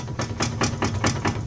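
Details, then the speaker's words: 2004 Ford Taurus with both tie rod ends bad and showing play: quick, sharp clunks about five a second over a low idle hum as the wheel is moved. "and um it's actually actually both sides are bad so like when I moved to one side you can hear the other side making a loud noise over there"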